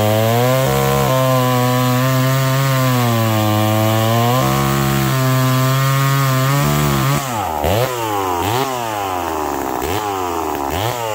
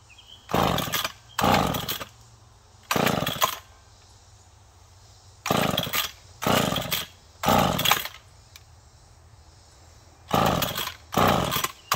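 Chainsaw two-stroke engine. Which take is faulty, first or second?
second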